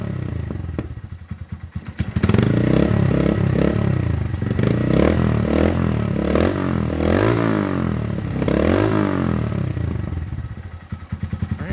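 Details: Honda Monkey startup after TB Parts exhaust, MNNTHBX intake and CJR Performance ECU tune: small single fires up, blips through a few crisp even revs, drops back to a steady idle; running healthy.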